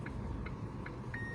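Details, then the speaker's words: Chery Tiggo 7 with genuine brake pads after about 600 km, slow parking roll: only the parking sensor pipping about every 0.4 s; pads work softly with no squeal, scrape or rattle. "колодки мягко работают без звуков без дребезжания без каких-либо посторонних шумов в принципе вообще"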